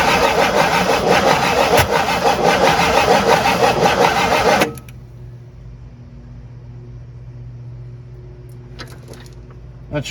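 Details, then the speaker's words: Abandoned 1958 Super engine cranks steadily about five seconds without firing after coil swaps; distributor clamped too tight to turn, owner suspects it is out of time. "oh i got this distributor so tight that i can't turn the damn thing feels like it's out of time"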